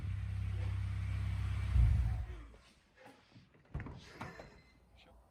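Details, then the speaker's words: Honda K20A2 Type S swapped into EK Civic, first start after fixing a rotten fuel line: catches and holds steady even low drone about two seconds; clean healthy first start. "the motors in and it starts and runs so that's pretty good"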